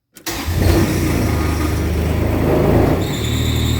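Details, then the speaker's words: Kubota RTV X900 with never-tightened or replaced alternator/fan belt: engine cranks and catches, then a thin steady high squeal rises as throttle is applied; loose slipping belt, to be fixed by tightening. "It's getting loose, so you get that squealing sound every time, or not every time, but a lot of times that you step on the gas."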